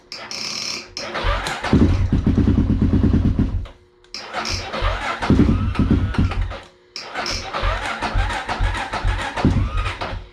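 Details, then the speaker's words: Honda 400EX that sat for years and was ridden hard: slow, labouring starter churn in three bursts, with a few single-cylinder pops that never run on. The owner felt the starter drags too slowly and something doesn't sound right. "all right so battery it fires you can hear it firing work that starter a little harder than I needed to"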